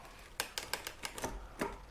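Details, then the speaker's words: Himiway D7 full-suspension 1000 W e-bike rear derailleur: on a shift, a run of sharp chick-chick clicks as the chain jumps across cogs, and one click drops two gears. Too much slack in the shift cable. "Clicked it. Hear it kind of like chick, chick, chick, chick, chick. Something's not quite where it needs to be. And then it jumped too."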